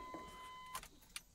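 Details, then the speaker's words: 1991 Chevy S-10 fuel-injected truck being revived, which won't start: with the key on, the fuel pump gives a steady high whir under a second, then cuts off with a click as it primes normally. "you can't hear that it stopped now because it's primed but yeah the fuel pump is making some noise so we have fuel pump"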